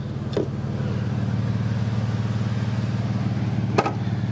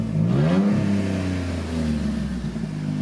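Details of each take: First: Jeep with the 3.6, all-wheel drive, with a loud exhaust, advertised as needing an engine: an even, deep, steady burble at idle with no knocks or misses, so the engine sounds healthy. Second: 2007 all-wheel-drive Jeep, under 200k miles: revs and settles with a deep, loud, rumbling exhaust note. The muffler is bad and needs replacing.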